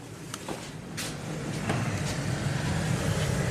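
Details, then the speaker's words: 2005 Chevy Tahoe, 173,000 miles, automatic climate control with blower motor controller; with the key out and the main blower fuse installed, a constant rushing fan roar runs flat out without changing speed. Blower motor stuck on high speed. "The main blower fuse, if it's installed, you hear the blower, keys out of the truck right now,"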